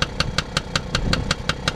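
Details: Tomos A55 moped running on its original stator after reassembly: a small two-stroke runs evenly with a crisp, regular light tick about five times a second, with a chain possibly needing tightening. Steady and healthy.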